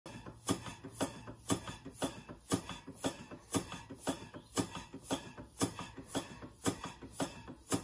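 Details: Stevens Model Dockyard steam engine before restoration: sharp, even knocks about twice a second from a slack big end bearing. The owner also suspects the piston hits the lower cylinder end cover.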